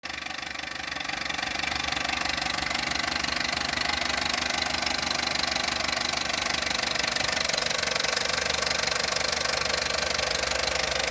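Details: Opel Corsa D 1.2 Z12XEP, fully warmed up and very quiet when cold: steady light metallic chatter about three per second over a quiet hot idle, suspected slack timing chain, unconfirmed.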